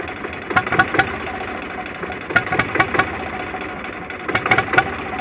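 The idle is uneven, with irregular clusters of louder thumps every second or two breaking the steady run. The engine is idling rough.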